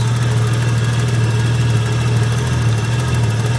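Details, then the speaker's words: Nissan R34 at idle after a timing adjustment from the manual (was about 15 degrees off): steady low idle with slight uneven pulsing about twice a second, surging and rotary-like; something seems to be moving and may not be tight enough. Cause unclear. "As it's surging like that, it's moving. Yeah. So it's not tight enough? It's like surging again. You can hear it just like rude. Almost sounds like a rotary."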